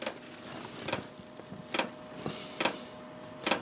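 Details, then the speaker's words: ZHIBANG Chinese diesel heater starting in warm-up mode for an ice-fishing tent: sharp ticks about once a second, roughly seventy a minute, over a faint fan whir; the fuel pump ticking normally before it fires. "let's go and you're going to hear the pumps start ticking and everything"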